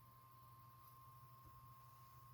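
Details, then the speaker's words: RC car cooling fan powered from an external 6 V NiMH supply: soft steady whir with faint hum, no rattle, much quieter than before while spinning up to speed; normal quiet fan running. "et prend un peu des tours on commence à l'entendre mais beaucoup moins qu'avant et là c'est tout à fait raisonnable et vu la vitesse à laquelle il tourne"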